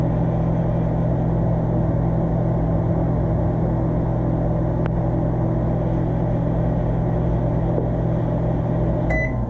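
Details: Electrolux MEF30 microwave, brought in dead (would not power on), now repaired and heating on a two-minute cycle: steady low hum and drone holds even for nine seconds with no arcing or crackle, ending in a short beep; heating normally.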